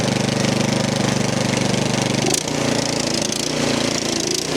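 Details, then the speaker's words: 13-year-old MTD snow blower, Powermore 208cc, throttle moved from half to the run setting: a busy single-cylinder chatter whose speed sags and picks up again, still hunting badly. "She's still hunting pretty bad."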